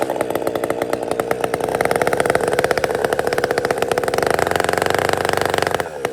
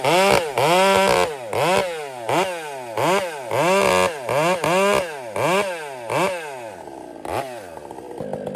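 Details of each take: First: Chainsaw after a major repair, previously hunting at idle: crisp, even two-stroke firing dropping to a clean, stable idle with no hunting; now running normally. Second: Chainsaw after a major repair, carburetor being tuned richer: repeated rev-ups with a burbling, uneven four-stroking bark at the top that changes as the mixture screw is turned, running rich.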